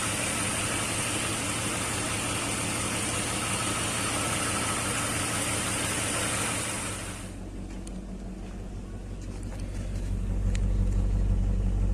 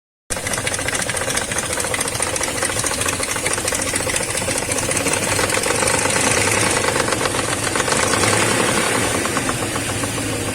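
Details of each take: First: BMW M62B35 V8 after timing chain rework (cams reset with tools, new water pump, seals): settles to a low, even idle hum with no chain rattle or ticking; sounds healthy. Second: BMW M62B35 V8 running rough after a poor-quality repair, fast uneven metallic slapping and rattling over the engine note; camshafts found nearly a tooth out of time on both banks, timing chain slap.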